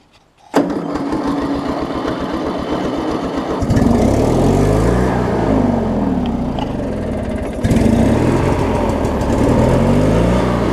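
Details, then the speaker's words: 20-year-old Craftsman mower with Briggs opposed twin, after drive belt replacement and starter/flywheel check: starter cranks briefly about four turns a second, then engine catches and settles into an even steady run with no misses; normal start. "I mean you hear it start run roll on with it there I've done the best that I can do on this mowe"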